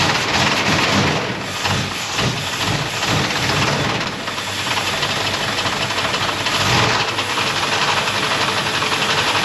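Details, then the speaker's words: 1972 Chevrolet Blazer carbureted V8, just revived with fuel pumped to the carburetor, idling rough with a loud steady hiss from a massive vacuum leak. "finally got fuel pumped up to the carburetor now when it's running you can hear a massive vacuum leak it sounds terrible"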